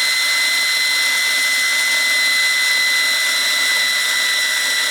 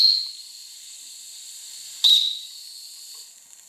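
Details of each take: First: Wilesco T115 toy steam turbine running free with the drive belt removed: clean steady high whine with hiss, pitch even without wavering or rubbing, long spool-down; bearings are good. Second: Wilesco T115 steam turbine shakedown: faint high whistle and steady hiss between short blasts; whistle valve doesn't seat and leaks steam.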